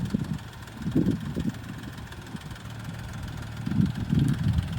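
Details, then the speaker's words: BMW M235i idling on a 52°F day: a loud top-end ticking that grows louder as it runs, louder than the owner's previous 135i and 335xi; the cause is unknown. "the thing that's killing me is this ticking noise seems way too loud for it comparable to the other BMWs I've had"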